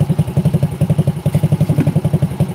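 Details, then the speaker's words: Honda Supra X 100 (NF100) after cam chain replacement and combustion chamber cleaning: even, steady low putt-putt at idle, no ticking or top-end rattle; normal idle. "langsam stasioner dan suara keteng yang bunyi kemarin itu Ini udah diganti udah oke"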